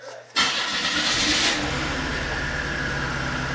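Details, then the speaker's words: 1988 Oldsmobile Cutlass Ciera four-cylinder, waste-spark GM ignition: catches and settles into a lumpy, uneven idle, a hard miss running on three cylinders. "definitely a hard Miss so in the data here we're probably not going to get anything useful terms of uh the four cylinders only running on three"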